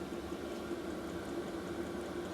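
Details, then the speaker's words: New Maxpeedingrods 5kW 12V diesel heater in shed, mic right next to it, just after startup: steady, even fan-like whooshing roar with soft bubbling burn, no surging or knocks; running normally. "So you can hear it going away now. It's like a fan."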